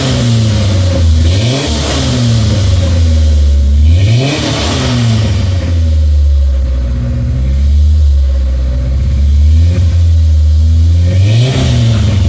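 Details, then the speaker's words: 1996 Ford Ranger, just started after fuel pump replacement, not run for over a year: engine blips and settles cleanly, even pulls, no knocks; smoothed out, idling slightly high, owner expects it to learn; battery light on, filler neck leaking. "overall not too bad it smoothed out quite a bit it's still idling a little bit high but I imagine it'll kind of learn that as we go here"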